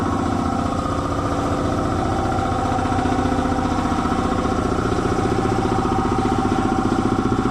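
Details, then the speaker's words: Belt-driven air compressor after oil change to synthetic, running under load: steady piston chug about two and a half strokes a second that sags and slows; drive belt found very loose, later tightened. "I don't think the belt's slipping. I need a stick. I need something to push on that belt with. That belt might be a little bit loose."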